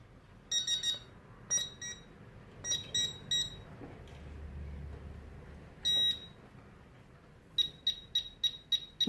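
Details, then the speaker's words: Tek Point probe pinpointer detecting a silver denarius, with sensitivity being changed. Shrill beeps in short bursts, then quick regular pulses as the tip nears the coin; detecting normally with impressive depth. "I'm not just a dealer but I think the depth of this thing is unbelievable"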